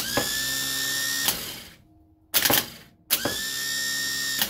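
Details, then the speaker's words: Used GM starter motor donated for a flood-salvaged Bayliner boat, bench-tested on a jump pack before fitting: two short bursts of high electric whine that spin up quickly and cut off; it works but doesn't sound great. "here we go oh yeah sounds good it doesn't sound great"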